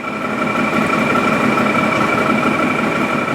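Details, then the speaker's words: 2017 Odes side-by-side at a loud uneven idle with an irregular chuffing beat and wavering drone; the ECU shows the front cylinder reading super low (lean), with spark advance at 12 degrees. "Yeah, that front cylinder is super low."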